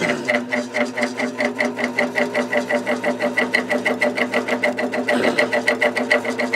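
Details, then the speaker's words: Fan motor on high: a loud, rapid buzzing rattle pulsing about four times a second over a steady hum; felt washers and bearing are good, the imperfect rotor causes it, too noisy for a bedroom. "the bearing is in good shape it's just um that imperfect rotor like yeah you cannot use this in a bedroom"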